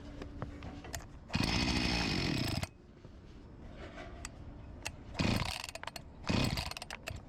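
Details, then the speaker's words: Discarded Husqvarna 254 G chainsaw after fuel line replacement, startup test: catches in short bursts, revs a second then fades each time; starving for fuel, tank cap O-ring leak and carburetor membranes to be replaced. "It starved for fuel"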